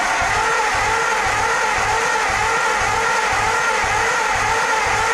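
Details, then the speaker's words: 1949 farm-find engine that backfired on its last crank with starting fluid: starter turns it over evenly with compression puffs about two a second, so at least some valves aren't stuck; the owner suspects the firing order may be wrong. "so at least it's making compression so that means that the valves aren't stuck well some of the valves aren't stuck"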